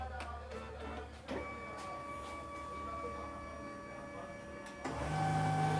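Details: Canon printer with a paper pickup fault, test copy after repair with cartridge refitted and paper loaded: smooth, even whir and steady roller clicks, no slipping or stalling, over background music; sheet feeds normally.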